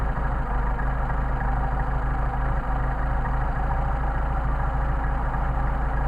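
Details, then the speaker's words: Engine running on freshly tested 190SL carburetors during idle mixture screw adjustment: screw backed out too far makes a low, uneven, loping idle that starts to degrade. The screw is then turned back in to the best-running midpoint. "It's starting to break down, so we're going to screw it back in. Idle's starting to degrade, so we're going to go back, find our midpoint where the engine runs best."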